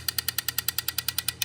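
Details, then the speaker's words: Turbo BMW E46 with swapped M52B28, new injectors pulsed one by one before first start, engine off, no fuel in rail, heard in inlet manifold: crisp even ticking about ten times a second; injector wiring confirmed, normal pulsing. "so they'll probably pulse pretty loud and you'll hear them in the inlet manifold so we're going to start at number one and work our way to number six"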